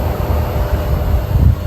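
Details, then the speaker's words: 12000 BTU mini-split heat pump at full heating output outdoors around 20°F, drawing about 1900–2000 watts at nearly 8 amps: deep, steady compressor and fan drone, loud but even with no knocks or rattles, normal operation. "see if see if we can get the 2,000 to to hear the noise of this it actually sounds like it's at its highest"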